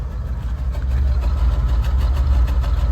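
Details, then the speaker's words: 1978 Buick Electra just after a full carburetor overhaul that cleared heavy carbon, choke plate slightly cocked open: deep, uneven idle that lopes and sags every few beats and sounds laboring; owner suspects ignition isn't 100%. "Funny thing is, it sounds like it's laboring. Like the ignition just isn't 100%."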